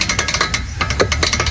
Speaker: 就是半轴的外球笼在响；